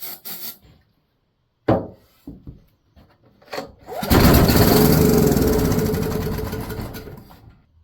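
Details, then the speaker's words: 4400 W generator with an 8 hp Briggs & Stratton engine, salvaged from the landfill, fuel tank empty, starting fluid sprayed into the intake: it fires and runs roughly about three seconds, then dies. Spark and compression are confirmed; it lacks fuel. "we're going to spray a little scarting fluid in there and if it Tri to start runs and dies then we know we've got ignition and we know we've got compression"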